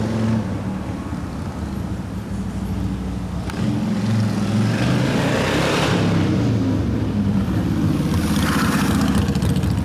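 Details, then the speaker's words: 1972 Harley-Davidson XL Ironhead Sportster bobber after a second engine rebuild (pistons, pinion bushing) and lifter fix: steady, lumpy V-twin idle at about four beats a second, no top-end lifter ticking; running clean and quiet. "but we fixed the lifters now so no more lift your noise quiet a bit quiet again so that's good"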